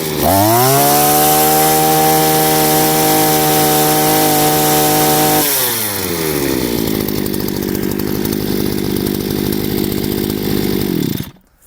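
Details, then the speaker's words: Chinese two-stroke brushcutter, carburetor adjusted with the air filter fitted and the trim line set to proper length: revs to a high steady scream with a slight rough edge under load, then drops back; correct full-throttle running. "This is how the brushcutter should work. It should go a little under load, a little as if cutting off."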